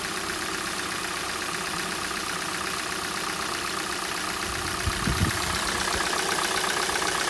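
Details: Hyundai/Kia G4NA petrol engine on cold start: light, quick ticking knock about four per second over the idle, fading as the engine warms up; source not yet pinned down.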